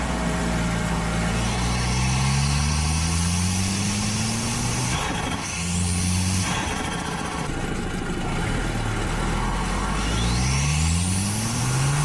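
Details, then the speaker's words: Audi A4 B7 Avant with stock exhaust, after a GFB DV+ diverter valve replaced a split OEM valve that was leaking boost. Repeated strong pulls climb cleanly through the revs with no hesitation. Normal turbo acceleration. "car is performing so much better pulls a lot harder pulls all the way through the"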